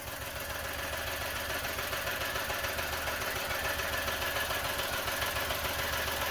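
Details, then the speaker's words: Idle lopes unevenly with a regular stumble a little over twice a second and a smell of fuel; thermal imager shows a hot spot on cylinder 1, which is misfiring. "if you haven't guessed bye now it sounds like a misfire it smells of fuel so I'm guessing a misfire"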